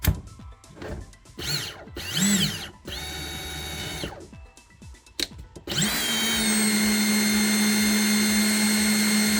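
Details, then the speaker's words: New Ridgid 18V SubCompact brushless 1/2-inch drill/driver (500 in-lb) free-running on a partly charged battery: after handling, spins up to a clean steady whine with no rattle or grinding; normal running. "Okay, so pretty cool. It's nice. I like the sound of it."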